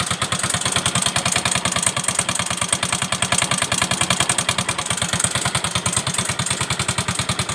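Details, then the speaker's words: Yamaha Mio M3 125 scooter, overdue oil change, customer complains of noisy engine and hard starting: harsh fast uneven "tek tek tek" ticking knock about eight per second at idle, rod knock from oil starvation. "Nah, jadi itu bunyi mesinnya itu kasar sekali ya. Bunyi mesinnya tuh kasar. Tek tek tek tek tek tek."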